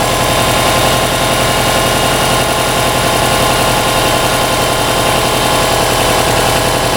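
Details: Subaru Baja rescue project, second start with coolant added and alternator belt connected: started right up, steady even flat-four idle hum with constant low pulse, no stumbles, knocks or hunting.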